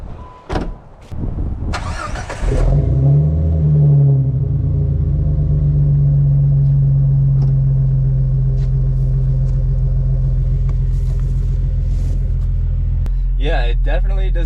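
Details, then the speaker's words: Jeep Wrangler TJ with new fully welded custom exhaust and Thrush muffler replacing a leaky Flowmaster FlowFX: cranks, catches, settles into a deep steady rumble with no ticking or puffing; no leaks, much less drone. "so no more exhaust leaks super happy with that and the Drone is way down I'll have to get on the highway to do a full comparison but doesn't drone nearly as much and it's quieter and I'm very satisfied with that"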